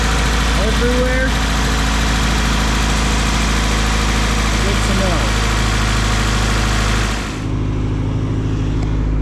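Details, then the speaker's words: Newly bought project car whose idle air control valve fell off; after previously sitting at 4000 rpm it now idles steadily but still high, never settling lower; finger over the valve hole drops idle to normal, so idle air control valve faulty. "she's not at four grand anymore uh she's still right idling high but at least now i know what to replace idle air control valve's gone bad"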